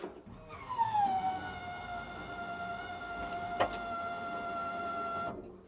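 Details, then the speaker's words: Bombardier "Bombi" with a Holley Sniper 1100 and new coil, after the exhaust manifold crack fix: the CFI electric fuel pump whines down into a steady hum for about five seconds while pressurizing to 60 psi before the start; normal fuel pump priming. "With the CFI, got the fuel pump, puts out 60 psi. That's what that Sniper kit needs. So you hear that come on first before I start it. I'll wait for the lines to pressurize, and then I'll give her a fling."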